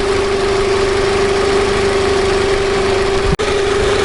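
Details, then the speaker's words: 2002 Nissan Altima four-cylinder idling after the broken coil pack connector clips were changed; it previously misfired and sputtered, now steady even mid-pitched hum without stumbles; normal idle, misfire gone. "sputtering all over the place right now it's not doing that so that's a good sign good"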